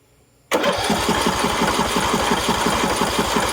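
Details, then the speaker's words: Husqvarna LTH 18538 mower engine cranked with spark plug in and plug wire disconnected: starter spins evenly at about three pulses a second without heavy compression drag, decompression release working. "Seems like it's working. That's a good sign."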